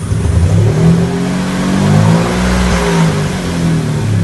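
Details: 2004 Mercury Monterey 4.2 revving with oxygen sensor removed to relieve a suspected clogged cat: deep, slightly uneven rumble, smoother and no intake popping; underlying misfire source not yet found.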